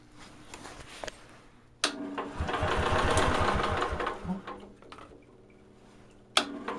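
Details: Onan generator producing about 160–170 V at the outlets; it won't adjust down further. Fast, busy chatter swells and eases with sharp knocks. Excessive idle speed.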